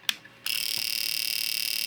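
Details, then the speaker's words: Fuel injector tester after circuit trace repair, pulsing a known-working fuel injector: after a tap, a fast even clicking buzz of about twenty clicks a second; the injector opens and closes cleanly and the tester works. "We are working. And you can see that my output LED is flashing."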